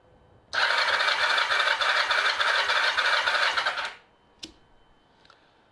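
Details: Kawasaki ZR7 inline-four cranking cold with throttle open during compression test: steady starter with even pulses on cylinder 4, within spec; cylinders 2 and 3 only about 7.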